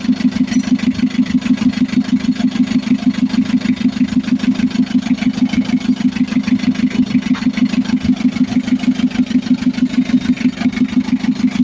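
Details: Mitsubishi L300 FB diesel after hard-starting repair (new fuel pump, wiring, starter, alternator, ignition switch fixed): even idle with steady regular pulses at constant pace, no stumble or hunting; running smoothly.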